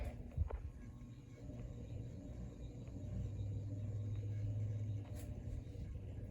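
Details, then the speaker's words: Locke Saratoga (Evergo) banana ceiling fan with sensitive speed trim pot turned up: low uneven hum and rumble rising with speed; noisy running, said to be typical of banana fans. "Turn the speed up a little bit. This is actually very sensitive, so I barely touch it and it's gonna go way up in speed. It's making a lot of noise."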